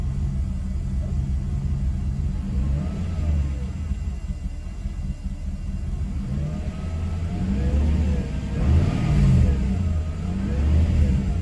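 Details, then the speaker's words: Mercedes W124 E420 M119 V8: deep note rising and falling with throttle but lumpy and uneven, worse than before; ASR light on, owner blames moisture in throttle body needing rebuild. "that does not sound promising sounds worse to be honest"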